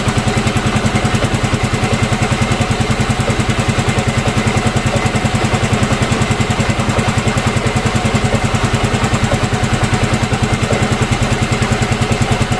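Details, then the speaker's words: Yamaha Mio M3 scooter after replacing the camshaft bearing: steady, even idle with regular low thump about 2.5 per second, no rattle or knock; the earlier rough engine noise is gone. "Nah jadi ee untuk suaranya sudah udah hilang ya nah ini untuk motornya udah sembuh ya untuk suaranya udah hilang"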